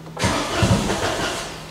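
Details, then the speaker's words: Citroen Aircross 1.2 three-cylinder 82 PS, on booster after codes cleared. It cranks with a quick cough in the first few turns, as if getting a little fuel, then dies back to cranking and won't start; cause unconfirmed. "can you can you hear that the first second of its fewer first few turns it tries to Fire and then it don't wanna know like it's just getting a bit of fuel and then not want to know"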